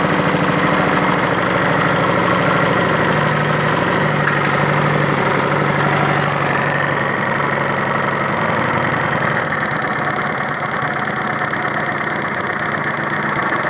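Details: 2011 Kawasaki Vulcan 900 at idle: light irregular knocking over the twin's beat, traced to the pulley cover area; noise persisted after checking valve cover and starter clutch.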